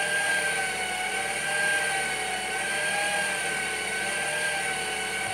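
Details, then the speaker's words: Saab 9-3 NG B207 after water pump replacement, restarted at idle: thin whistling tone with faint irregular chirp, not its usual sound; owner unsure whether belt or water pump, not confirmed. "je pense que la courroie fait un bruit bizarre j'ai redémarré j'entends toujours le bruit mais j'arrive pas trop à savoir ce que"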